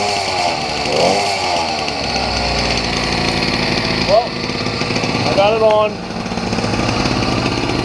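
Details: Small two-stroke engine freshly fitted to a beach cruiser bicycle build, throttle, CDI and kill switch just mounted, chain not yet sorted; it buzzes and revs unevenly as the throttle is blipped, running normally.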